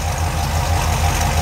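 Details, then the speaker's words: Carbureted 383 stroker V8 in a Chevy truck with headers and Hooker turbo dual exhaust, warming up: steady, even low rumble with a smooth lope and no knocks or misses, holding a healthy fast idle. "okay that side along the curb idle speed is dropped off the high speed damn that's pretty good Idol to it"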